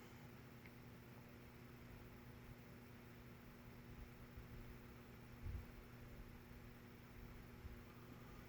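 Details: Nutone 52-inch friction-drive verandah ceiling fan converted with an Air Cool spinner motor, running on low speed: a very quiet, low, steady hum with a faint even whir and no rubbing, ticking or wobble. The motor runs smoothly.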